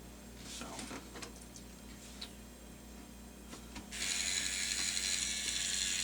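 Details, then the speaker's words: Lemax Rest in Pieces Mausoleum mechanism, partly disassembled during repair of broken LED and speaker wires: light clicking mechanism about four ticks a second, then a sharp micro switch click as it returns to rest and shuts off; normal cycle. "I don't know if you can hear it when it shuts off, but there's a click. What you're listening is, you can see right in here. It's a micro switch."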